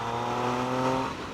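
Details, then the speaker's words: Triumph motorcycle at 104,000 km that had idled roughly from a cold start, warmed up and ridden uphill on a new rear tyre: strong, even engine note pulling cleanly with no misfire, knock or rattle. Normal acceleration. "I just rode up here and she's fine, she hasn't missed a beat."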